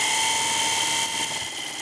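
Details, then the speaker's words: Electric wheelchair brushed motor after commutator and brush cleaning, on 24 volts with gearbox engaged: steady whine then shrill squeal, turning rough and pulsing after running a while; brushes suspected. Abnormal motor noise. "oh now that sounds funy that doesn't sound good at all"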